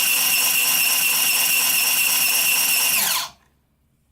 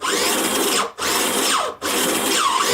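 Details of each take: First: Prototype 3D-printed RC robot drive assembly, motor with belt and printed pulleys spinning very fast: loud high-pitched motor whine with strained steady tones then quick spin-down; belt slipping, tension loading the motor's front. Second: Prototype 3D-printed single-stage gearbox drive for an RC robot, motor braced by a 3D-printed band: high-pitched, even motor-and-gear whir in three short runs with clean stops and no knocking or grinding.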